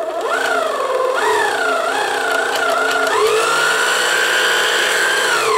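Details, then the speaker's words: 1990s Kenmore sewing machine: the motor whirs and changes pitch with the pedal, but no stitching rhythm comes through and the needle doesn't move. The drive isn't engaging; the owner suspects the gearbox fried itself. "you hold it and what in this case is nothing happens you know i'm trying no it doesn't do anything"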